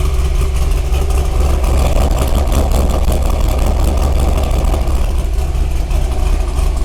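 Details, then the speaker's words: 2003 Corvette C5, 18 years old, bought at auction, first start at the lot with no brakes or brake fluid: deep, loud V8 idle with a raw, unmuffled bark; no catalytic converters found, owner unsure it sounds right. "oh i am not sure if it sounds like how it's supposed to sound i don't know but again i didn't find any catalytic converters so"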